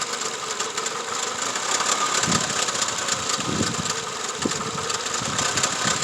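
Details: 2004 Toyota Camry: uneven idle with irregular low thumps about every second under heavy hiss; sounds like a misfire, cause unclear.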